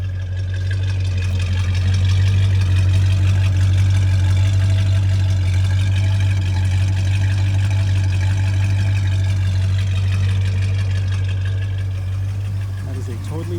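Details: Restored 1969 Dodge Charger RT/SE with totally stock exhaust: a deep, even exhaust beat at about four pulses a second with a steady low rumble, a healthy big V8 at idle.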